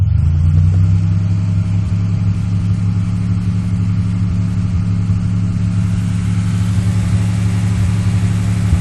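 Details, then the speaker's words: 1997 Chevrolet Malibu petrol engine held at raised revs, hardly audible at idle: an uneven, stumbling beat from a bad misfire of unknown cause. "my Mal's bad Miss fire don't know what's going on"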